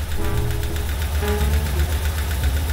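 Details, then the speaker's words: 2003 BMW R1150 GS Adventure boxer twin idling with a deep, loping beat and a light, regular ticking-knock heard from both left and right cylinders; valvetrain knocking suspected from the pushrods, not confirmed. "sound you hear is a characteristic knocking sound that may come from the pusher sticks. You will see why this happens. The sound can be heard both in the left and right [Music] cylinders"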